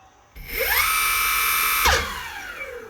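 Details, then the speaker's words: Evolve GTR Carbon electric skateboard in pro mode, board lifted, motor very hot after riding: whine climbs to a steady high pitch then cuts out with a short clatter as one wheel stops abruptly; abnormal motor noise. "well i was just putting it and all of a sudden it made this weird noise and i thought i was imagining things but as i kept riding the noise started getting worse and worse"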